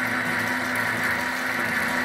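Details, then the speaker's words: MX 8x14 mini-lathe running unloaded with the metal change-gear train engaged: loud steady high whirring and gear clatter, far noisier than without gears, where the whine is suspected to be the three-phase PWM motor controller; metal change gears are not quiet. "If I engage the gear train, let's try it now. Obviously it's a lot more noisy. Those gears are not quiet."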